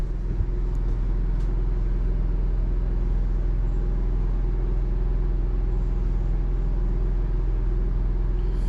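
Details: Built-in Onan generator in a toy hauler RV, heard inside at the very back of the trailer: steady loud low drone with an even engine pulse filling the room; the onboard generator is very noisy inside.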